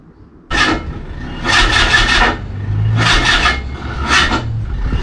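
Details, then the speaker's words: Mazda MX5 being jump-started after replacing valve stem seals: starter grinds in short, labouring attempts, catching at one tight point, no firing. Owner suspects something tightened too much; a compression test is considered. "come on it's like it gets to a point and then it it has to pass something stiff"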